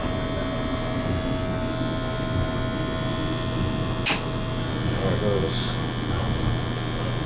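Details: Natural gas boiler serviced for high carbon monoxide, burners cleaned, test firing: steady smooth low hum with one brief click; burner firing evenly, CO PPM coming down.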